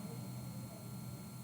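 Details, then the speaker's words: Electric drill running at speed setting 10 of a 30 maximum, forward: steady, even motor hum with a fixed whine and no wobble or grinding. "That's what 10 speed rotations per minute sounds like."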